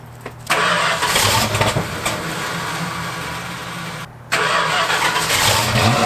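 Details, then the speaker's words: Carbureted car, carburetor recently rebuilt and being tuned, cold day before a blizzard: engine catches and settles into a steady, slightly raised idle with an even exhaust note; normal cold fast idle, roughly 10 minutes of warm-up needed before adjusting. "so right now we are in fast idle which is what the car does when it's super cold outside it needs to warm up so that we can turn it down a little bit"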